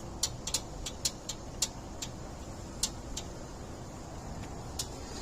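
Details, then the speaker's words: Bobcat 763 skid steer with a flickering lap bar seat light, not cured by a new sensor. Sharp, irregular relay clicks, about ten in five seconds, as the seat bar circuit cuts in and out; the owner later had the controller repaired. "You hear the clicking? See, so now it's clicking on and off. And when it does that, you can see the light turn on and off."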